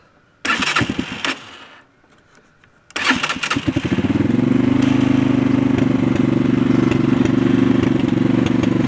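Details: Chinese ATV (son's four-wheeler) on larger tires, after a new Goofit CDI and tune-up: a couple of cranking bursts, a catch, then a steady, even idle with no knocks or misses. Normal, healthy start and idle.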